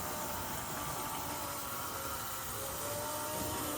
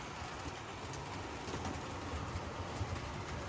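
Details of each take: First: HO scale model locomotive that sat long unused in box, first test run: steady loud hissing whir with faint thin tones; noise later went away on its own as gears broke in. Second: HO scale model locomotive, after running in: steady low gear whir and faint track clatter with no grinding or whine; gears bedded in and now quiet, where it was loud before.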